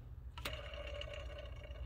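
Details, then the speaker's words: Vacuum pump drive pulley and belt tensioner spun by hand: steady dry whirring hum with faint ticks instead of silence; worn idler/tensioner bearing, pulleys and tensioner due for replacement along with the failing vacuum pump. "here's the pulley no sound so basically that means that uh it's time for the pulleys belt tensioner and uh the failing the vacuum to be replaced"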